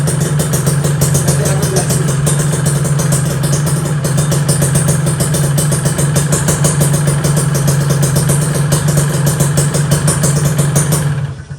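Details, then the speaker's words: Two-stroke Kawasaki Ninja motorcycle idling right after carburetor cleaning and refitting: loud, steady low idle with rattly, buzzing clatter holding even; owner says this sound is normal for a two-stroke. "guys ya motor aku suaranya Udah kayak pabrik paku udah nggak adem lah gitu tapi bagiku sih ya aku udah main 2 tak dari kelas 5 SD gitu suara 2 tak kayak gini tuh wajar banget wajar banget"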